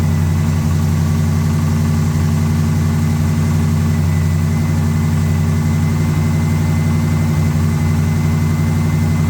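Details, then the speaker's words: AMC 360 V8 freshly reassembled, started cold at about 20 degrees after two weeks sitting: deep idle rumble with a light, quick ticking from an exhaust leak. "sounds good and uh the ticking that you're hearing is an exhaust leak"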